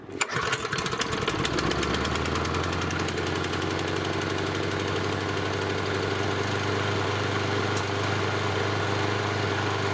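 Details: Yard Machine 6 HP 21-inch lawn mower that sat unused over a year and would not start: after repair it fires after a short crank and settles into a steady, even putter with no misfires; running normally.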